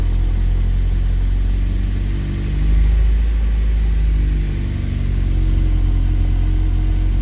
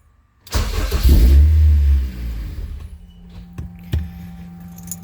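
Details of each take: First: K24-swapped Honda CRX running: a smooth, even idle that is a little high, with a slight swell in speed and no knocks or ticks; the earlier noise is gone and the engine sounds healthy. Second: Honda K24 engine swapped into a CRX, first start with injectors connected after an even compression crank: catches with a loud burst, runs about a second and a half, then stalls by itself. Owner is unsure why; it sounds good while running.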